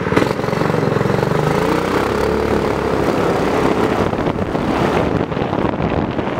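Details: Homemade go-kart small engine after carb jet upgrade (to fix lean running and sputtering), upgraded intake/air filter and exhaust, and governor removal, driven on test laps; engine buzzes evenly and pulls cleanly, rising and settling under throttle with no sputter or stumble; normal running.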